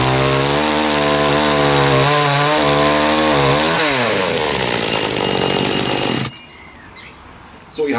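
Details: Dolmar chainsaw after carburetor cleaning and adjustment to about 12,350–12,400 rpm top speed, cutting wood: a high, clean two-stroke scream that dips under load, recovers, then cuts out. It runs normally, properly tuned.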